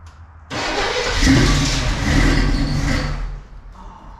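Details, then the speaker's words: 1978 Camaro Z/28 after a distributor swap, top dead center reset and plug wires refitted, fed from a temporary fuel can and pump: cranks, catches and sputters for about three seconds, then dies. Fires briefly but lacks fuel delivery; needs a fuel pump. "it's going to run it just needs a fuel pump yeah all right that's awesome so I'm calling that running"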